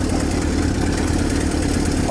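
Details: Used salvage-title motorcycle with almost 10k miles, sat a couple of months with stabilized fuel, started on choke: steady, even idle with quick rhythmic chug, no knocks or stumbles; running cleanly, normal idle.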